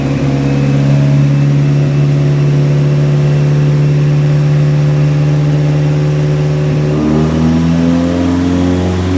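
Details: Nissan 180SX Type X, SR engine with TD06 20G turbo, Nistune ECU, 3-inch dump pipe with muffler deleted, dyno run at 15 psi: strong steady high-load drone easing near the end with no knocks or misses; about 255 rwkw with injectors maxed out, engine healthy.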